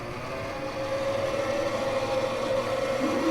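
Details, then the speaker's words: 1960s Hammond M101 organ, long unused, first start: tone generator spins up with a rough, dry whirring hum and swelling mid-pitched tone, louder than it should be; needs lots of oil. "not a good sound that sound is the tone generator spinning and it should make that kind of noise so right now that's telling me it's needs tons of oil"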